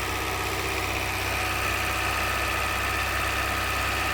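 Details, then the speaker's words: 2023 Hyundai Verna petrol BS6 automatic, overheating and losing coolant, at idle: uneven tak-tak knock about four times a second over a steady hum, pointing to knocking pistons; mechanic says it worsens with AC compressor load and is not causing the overheating. "तो ये जो टकटक sound अभी 50% है तो वो 80% हो जाएगी। क्योंकि आधा कंप्रेसर तो अभी रेटर के अंदर आ रही है और जैसे ही कंप्रेसर लॉक होगा इंजन का पावर बढ़ेगा तो यह पिस्टन और ज्यादा आवाज करने लग जाएंगे।"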